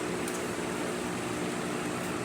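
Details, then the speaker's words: DeLonghi Magnifica espresso machine after grinder replacement and deep clean, brewing a shot: steady, even water pump hum with no surging or rattles, pushing water smoothly from tank through heater to spouts; pump healthy. "The water pump is gonna push water from the water tank all the way to the generator, all the way to the burr unit, into the spouts, as you see right there."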